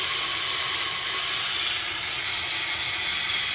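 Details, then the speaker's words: 6.0 Ford Powerstroke, engine off, with shop air on the high-pressure oil system: a loud, steady high-pitched hiss as air leaks on both sides past old 10 mm dummy plugs, later found worn through. "I'm going to go ahead and turn the air on you can see actually I can hear both sides leaking with this but this one's pretty big going it's"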